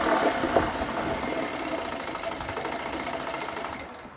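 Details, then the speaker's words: 1980 Chrysler Sea King 15 hp two-stroke outboard after ignition coil replacement fixing part-throttle misfire, cylinders checked individually: busy even buzz, revved with no miss, winding down cleanly; normal running outboard. "I revved it up, no miss. That's it. This engine is good to go."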